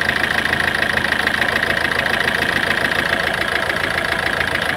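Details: Ford Figo with low pickup complaint: steady idle with an uneven, stumbling beat and a loose ticking chatter on top, like a cylinder missing at idle. Cause suspected, not confirmed.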